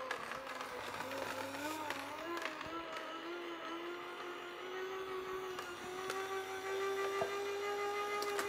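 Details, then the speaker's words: A cheap copycat vertical slow juicer (compared against a Sana 808) is fed carrots one at a time. A thin motor whine sags as each carrot loads it, then recovers; the motor bogs under load. "Uh huh. Notice already we know how this handles stress, it slows down."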